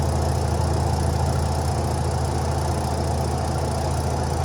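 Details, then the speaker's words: Twin-tub washer spin dryer after replacing its resilente, cleaning and refitting the drying tub: steady even low hum spinning smoothly, no knocking, rattling or grinding. "vamos a proceder a encenderla para corroborar que ya no hace ruido ya que se cambió su resilente Ahí está girando no emite ningún"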